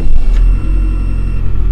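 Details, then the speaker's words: Toyota RAV4 towed in a freezing Michigan winter with a no-start, not out of gas, fuel pump heard running with gurgles and splashing: low, steady engine rumble right after starting, no misses or knocks; now running normally, water in fuel suspected. "okay so it runs so I think we better put some fuel in it and maybe some some gasoline antifreeze and then we'll drive it off the trailer"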